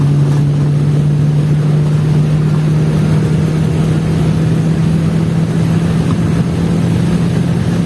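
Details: Chevrolet Vectra after fixing a misfiring problem, full-throttle pull-through on an empty road, reaching over 60: deep steady drone slowly climbing in pitch, even and unbroken, no misfires; normal acceleration.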